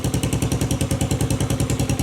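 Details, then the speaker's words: Postie bike Mad Max build, small single with pod filter and cut-open exhaust: sharp, even popping pulses about nine per second with crisp rasp; runs fine, owner decides not to cut exhaust further. "I'm not going to cut any more out of that cuz that that's got a really cool sound to it"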